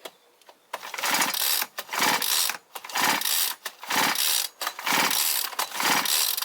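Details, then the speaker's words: Brushcutter or chainsaw two-stroke that dies after 15 minutes when hot, pull-start compression test by sound: slow cranking with hissing whooshes instead of strong pops, air leak from a burnt cylinder base gasket, bolts found loose. "що звук інакший. Нема тих хлопків таких сильних. Йде свист. Це зваріла прокладка. Іде підсос повітря."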